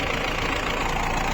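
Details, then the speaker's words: Used 2013 Mahindra Bolero ZLX diesel, 70,000 km, engine check at idle: steady even clatter, no knocks or vibration, engine sound completely okay. "तो गाड़ी का sound बिल्कुल okay है"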